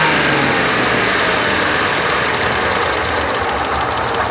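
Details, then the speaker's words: 1997 Mercedes SL600 donor car after sitting for years, possibly bad gas, running a bit rough: fast light ticking at idle, suspected slight lifter tick that seems to fade as it warms. "sounds like it's got a slight lifter tick"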